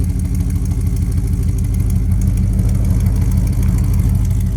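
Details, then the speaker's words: 1999 Dodge Ram 1500 with a 5.2 (318) V8, recorded by the exhaust after fitting fresh spark plugs. The cold idle is lumpy with a recurring stumble. The long-standing intermittent cold misfire persists with its cause unknown, and the owner considers the injectors next. "yeah it's still got that same cold Miss so I don't know maybe we try injectors next"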